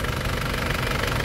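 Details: Isuzu 4JA1/4JB1/4JJ1 diesel told it needed a general overhaul for blow-by, after repair: short even diesel clatter at steady idle, no heavy bottom-end knock, smoke gone; engine sounds sound.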